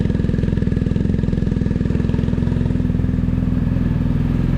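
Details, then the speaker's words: BMW R1250GSA idling after oil and filter change while oil circulates through the new filter: steady, even low idle with a regular firing pulse, no knocks or rattles; healthy twin. "So what we need to do is switch it on, let the oil run through the engine, through the filter, and then check where it is on the dial."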